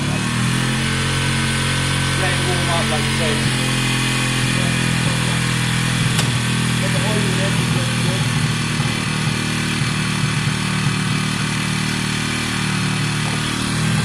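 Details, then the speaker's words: WK RT 125 single, improved running, choke on: steady, even putter at idle, no knocks or rattles over the exhaust beat; quiet and smooth, normal idle. "guys as you can hear it sounds great it's very quiet it's smooth the choke is on at the moment um which is fine"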